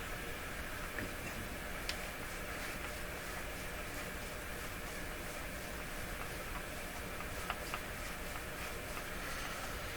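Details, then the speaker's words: Dominion Electrohome TR50 console receiver on FM with no antenna: steady, even hiss with faint ticks and no station audio; FM hiss with no stations, cause not found. "So both AM and FM appear to be dead. Yet we can hear the FM, what sounds like the FM hiss."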